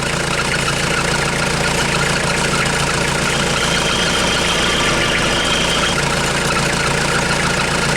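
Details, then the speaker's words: 1996 Mitsubishi Delica L400, 2.8L 4M40 diesel, after head gasket replacement, warming up: steady idle with an even clatter of about three or four beats a second and no misses or stumbles. It runs properly. "looks fine I'm gonna let us run the temperature and I'll get back to you"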